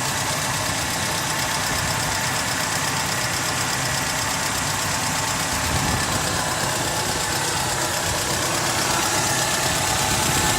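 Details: Mercedes M111 engine at idle: an uneven tapping knock, about three per second, half buried in the running noise. Engine knock present; source not pinned down.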